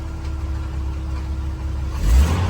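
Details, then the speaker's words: 1988 Jeep Wrangler YJ, carbureted, after electric fuel pump conversion, still cold: quick throttle blip picks up cleanly, revs rising without stumble over a steady idle; previously hesitated badly before warm-up, blamed on the carb. "So before, when you did this, before it was even warmed up, it would hesitate real bad. But we figured, that was a carb. But it just fires right off now."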